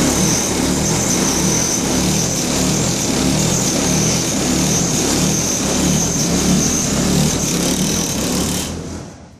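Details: Dryer running half a load: loud rough grinding over the steady hum, churning unevenly about three times a second, then fading out.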